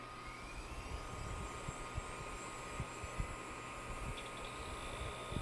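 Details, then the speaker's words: SGI O2 power supply from a WeatherSTAR XL that had shut off, recapped and tested running in the machine: quiet, steady fan whir with faint high tone, no ticking or buzzing; fully working. "Oh I like that sound so we have a fully functional power supply ladies and gentlemen completely restored with fresh capacitors"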